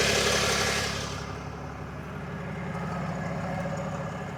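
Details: 2022 RAM 3500 idling after 2 hours of driving: after a revving fade, a rough pulsing clatter at about four beats per second under the idle; owner unsure if normal, source unclear.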